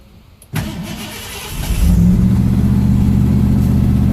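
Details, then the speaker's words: 1973 Ford Maverick restomod, fuel-injected 302 V8 with cold-air induction, started without touching the gas. A brief crank, then it catches at once into a strong, even fast idle that calms down: a normal, clean start and fast idle. "And the idle will calm down. There it goes."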